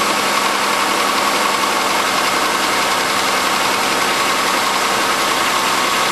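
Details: 1997 Chevrolet Malibu 3100 V6 with 75k miles, cold start idle with a quick, slightly uneven knock over a hissy engine note; suspected piston slap, not confirmed; lower intake manifold done about 8k ago.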